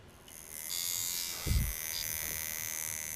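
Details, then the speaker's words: American-made coil tattoo shader machine on low voltage, fast, even high buzz holding steady without stutter or rattle, short stroke tracing a small figure eight; running properly. "देखो कि छाया मशीन कैसे लगता है, यह बहुत छोटा है आप आठ देख सकते हैं।"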